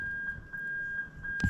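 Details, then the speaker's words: Lexus IS200 with 1UZ-FE LS400 engine harness and J160 6-speed manual, reverse switch bridged by hand: clear, steady high-pitched reverse buzzer; reverse circuit confirmed working. "you can hear that the buzzer sound is working so i know all the reverse circuit is 100 okay"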